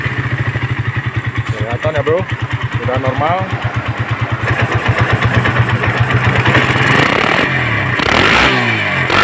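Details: Suzuki Satria FU150 with a Keihin PE28 carburetor, after the carburetor was reinstalled: steady thumping idle, then revs climb smoothly without stumbling or popping, running normally.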